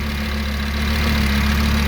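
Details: Audi RS3 DAZA engine after a rebuild with new hydraulic lifters, idling with the AC on low: a steady, even idle and smooth low drone with no lifter tick. The lifters were soft and empty at the first start, and the engine is now settled and quiet.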